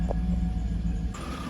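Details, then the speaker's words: 2009 Cadillac Escalade V8 idling while warming up after oil pickup tube replacement, oil pressure 45 psi: steady deep rumble with no knocking, ticking or rattle; smooth, healthy idle. "so I'm just going to let it get up the temperature sounds good other than that little jump so we're going to see if it start ticking or not"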